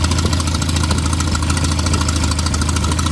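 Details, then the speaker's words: 1988 Toyota Pickup 22R with Aisin carburetor at idle: sharp rapid ticking puff over the rumble, a bad exhaust manifold leak from a stud that worked its way out; replacing the stud fixed it. "and it is an exhaust leak so i thought i'd show you what a pretty bad exhaust leak sounds like"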